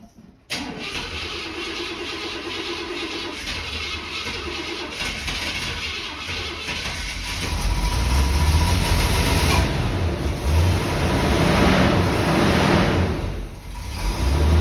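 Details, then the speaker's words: Chevy C10 farm truck after a new twin-tailpipe exhaust and tune-up: catches after a short crank and settles into a steady, quiet, smooth low idle with no misses or knocks. Normal idle. "All right, so we're running. Definitely a lot smoother. Oh, it's idling nice. Listen to her. You can hardly hear it."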